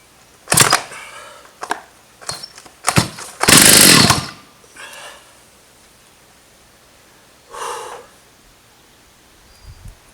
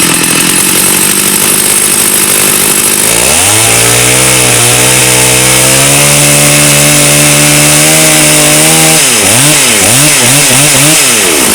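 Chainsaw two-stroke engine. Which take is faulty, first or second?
first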